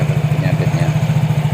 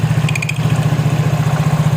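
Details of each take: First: Yamaha Mio J scooter after replacing a worn seal and the damaged rear pulley sleeve, fixing earlier noise from the belt drive: steady, even low idle with no rattle or slipping noise. Normal idle. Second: Yamaha Mio J scooter, customer reports noisy transmission; on stand, idling at about 220 pulses a minute with a faint intermittent squeak from the rear CVT pulley, not front.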